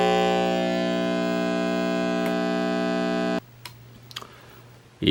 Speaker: if I use my test card to play a sound I don't know if the camera will be able to pick it up but there's a pretty annoying distortion in the right side speaker